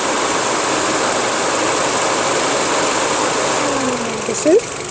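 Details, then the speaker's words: Engine idling after a universal fan thermostat was installed, coolant at 93°C with the switch-on set around 90°C. A steady, even airy rush with a faint high hiss and no rattle or scrape. Normal electric cooling fan operation. "So just pay attention. The fan will come up at any moment."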